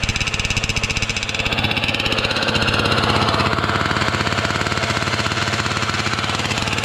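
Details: Losi 5T RC car with 34cc Zenoah gas engine on a stand, pump gas: choppy firing pulses that swell and sag unevenly; running rough, cause unknown; owner says it sounded good when bought.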